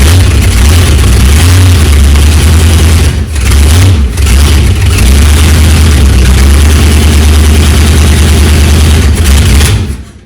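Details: Chrysler 360 LA V8 in a Valiant CH two-door hardtop, first start in a long time after starter replacement, fuel poured into carburetor: very loud uneven, lumpy idle with brief stumbles; rough running, cause unclear.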